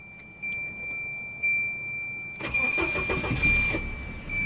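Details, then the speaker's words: 1992 Volvo 240 DL, about 26,000 miles shown (speedometer replaced): door chime tone, then a short crank that catches at once and settles into a smooth, even idle; starts perfectly. "and it starts up perfect as you can hear"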